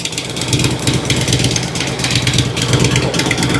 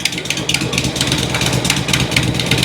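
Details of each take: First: 2006 Harley Road King Twin Cam after replacing the cam chain tensioners and inner cam bearings: an even, loping low idle thump with no knocking or ticking, running smooth. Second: 2006 Harley-Davidson Road King Twin Cam idling after cam chain tensioner and inner cam bearing replacement, fresh oil change; flat ticking clap on each exhaust pulse heard at rear and front, suspected exhaust leak, possibly from flat kit exhaust gaskets; not lifter, pushrod or valve tick.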